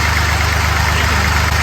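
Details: Fordson Dexta tractor being restored, diesel started with throttle set choke-like, no heat needed: steady, deep chug at an even low idle with no misses or knocks; engine running properly.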